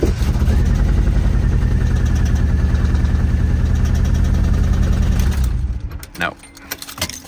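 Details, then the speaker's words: Nissan 240SX restarted with the old spark plugs refitted: lumpy, loping idle with a regular missing beat for about five seconds, then it dies. The cylinder-one plug never fired, it runs on three cylinders, and the owner suspects the plug wire. "So it looks like it cylinder one spark plug is never fired, which makes sense. It was running on three cylinders."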